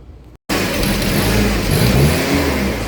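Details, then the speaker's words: Toyota 7FGU32 forklift, 4Y engine, with governor ECU. The idle hunts up and down as the ECU drives the throttle body wide open and then randomly shuts it. "It's roughly about 1700 RPM, right? And that's probably when this thing was revving all erratic."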